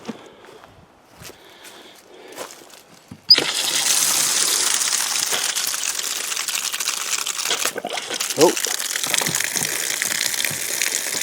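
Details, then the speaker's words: Camp outdoor water system being refilled in spring from a lake pump: water gushes from the outlet after a quiet start, with sputtering gulps as trapped air burps out and brown water clears before the flow steadies. "little burp. Some brown water coming out, but now she's running good. Oh, some more air."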